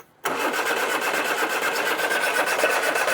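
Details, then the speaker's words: Mk1 Austin Mini barn find, out of gear, choke on, a little throttle, starter button on floor; it has spark and turns freely: steady starter churn with one faint splutter partway through, but the engine never picks up and runs. "yeah well that tried yeah that's a good start did that splutter when you had any throttle at all"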